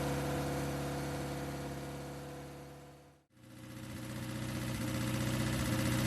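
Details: 1969 Ford Capri, replacement carburettor with smaller choke, choke on: rough lumpy idle about four beats a second, nearly dies then recovers; poor idle, cause unclear.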